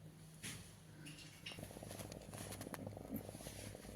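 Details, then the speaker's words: Electrode-type hot water bag refilled with water plus a little salt, heating up: quiet irregular crackles and snaps over a faint hum, sparking at the electrodes that is harmless. "आप देख रहे हैं कि इससे चटकने जैसी आवाज आ रही है। जैसा कि आप देख सकते हैं, इसमें चिंगारी निकल रही है। लेकिन इसमें कोई समस्या नहीं है।"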